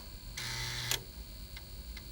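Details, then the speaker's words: Old computer floppy drive after cleaning magnetic-media residue off the head with an alcohol pad, reading the test disk that had failed: brief spin-up whirr, then light, even head-step ticks with no grinding; every track now reads without problems. "Now it's working again! So where we just previously could not access it at all, every track was unreadable, now it's passing with no problems whatsoever."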